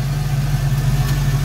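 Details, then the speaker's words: 1990 Ford Mustang GT Foxbody V8 with GT40 intakes and new Alloyworks 4-core radiator, still cool, idling to warm up; smooth steady low rumble, even beat, no knocks, ticks or hiss. Normal idle. "it's still pretty cool we'll let it idle for a bit"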